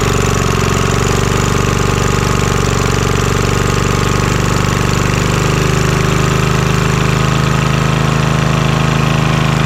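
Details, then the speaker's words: Vintage Homelite generator, probably late 1970s, that sat about 30 years, running. Steady, even, quiet low drone with no misses or knocks over ten seconds. "Oh, that sounds good. It's nice and quiet too. That is great."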